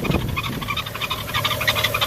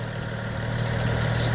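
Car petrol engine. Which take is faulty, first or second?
first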